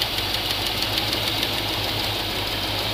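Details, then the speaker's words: GMC 3500 454 V8 idling with valve cover off, mid valve adjustment: steady fast ticking clatter in time with the engine; rockers found badly out of adjustment, set a quarter turn past where the tick goes away. "there we go yeah these are really really bad really really tight there it goes away quarter turn"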